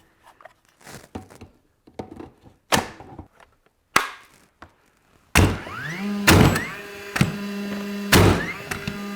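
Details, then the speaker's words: DeWalt battery framing nailer driving nails into 1-inch oak or 2-inch alder hardwood offcuts: sharp single shots, each followed by a whine climbing in pitch as the flywheel motor spools back up; working normally. "You can hear the motor spooling up after it hits."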